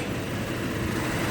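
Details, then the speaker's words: Toyota Kijang LX 2002 engine bay check at idle; steady, even, smooth low rumble with no knocks, ticks or rattles or other odd noises, engine sounds healthy. "Nah, untuk di bagian ruang mesinnya tidak ada suara yang aneh-aneh, cuma kotor debu saja. Untuk di bagian ruang mesinnya, untuk mesinnya juga kedengaran halus ya lor. Pokoknya mesinnya kedengaran halus, tidak ada suara yang aneh-aneh."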